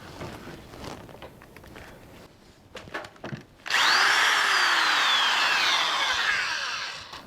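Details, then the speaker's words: DeWalt DW106 double-insulated corded drill, polarized plug, running forward: after handling, motor winds up, whine rises and falls smoothly with the trigger; still cranks, variable speed good; normal running. "Yep. This thing cranks, obviously, and it's still running really good. And the variable speed is running really good."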